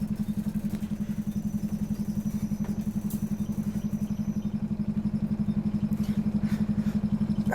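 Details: Optare Solo bus YJ12GVR on route 309: hard, even throb about four times a second over the diesel drone, rough motorbike-like thrash; abnormal engine noise, possibly slipped gearbox.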